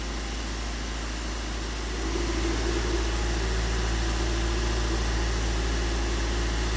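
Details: Tata Indica Vista after fixing wiring circuit junctions behind two no-start fault codes: steady even idle about four pulses a second, no stumbles or knocks; engine now starts and runs properly.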